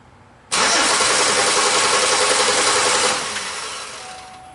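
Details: 2005 Chevy Impala that stalls occasionally, while testing a suspected missing cam signal at the harness: fast steady starter cranking about two and a half seconds, then winding down without catching; crank no start, injector and cam harness problem.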